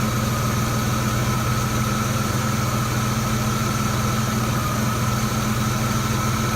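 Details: Idle with uneven pulses and occasional stumbles, a misfire of still unknown cause. Disconnecting and reconnecting the MAF sensor makes no difference.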